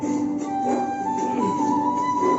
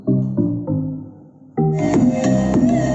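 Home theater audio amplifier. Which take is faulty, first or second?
first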